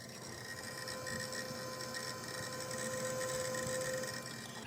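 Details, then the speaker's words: Dusty old Seagate hard drive, unpowered for at least six years, running: thin steady spindle whine with irregular soft ticking and chattering bursts as the heads move. This is normal seek noise. "love the sounds of a dusty old sea gate"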